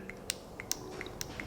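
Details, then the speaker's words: 1998 Toyota RAV4 3S-FE, code P0401, new EGR VSV (90910-12100) held close to mic: sharp crisp clicks every quarter to half second; old valve failed to click; normal solenoid valve click. "this valve, the brand new one, makes that little click, and we know it's working correctly."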